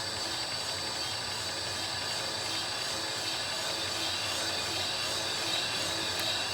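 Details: Porsche 914 2.0 L cylinder head being fly cut with a Wally Whopper cutter: a steady, even hissing grind at full depth just before the automatic stop kicks off; a normal cut.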